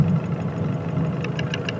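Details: Nissan Pathfinder/Navara diesel with Chinese injectors, idling with a low rumble and a sharp metallic tick about six to seven a second.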